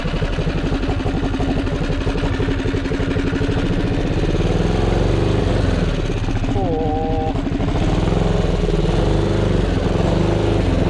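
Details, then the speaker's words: 228cc Tillotson racing engine, about 23–24 hp, on a Monster Moto mini bike with a torque converter: small single revs with a ragged, stuttering beat through the middle RPM range instead of clean firing; breaking up, fuel flow believed good. "Do we have good fuel flow? We should. We should have good fuel flow. We were having some mid RPM running issues."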